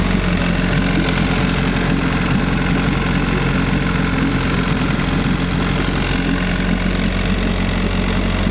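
A steady, even two-stroke burble runs at fast idle with no misses or knocks, so the old outboard is running healthy.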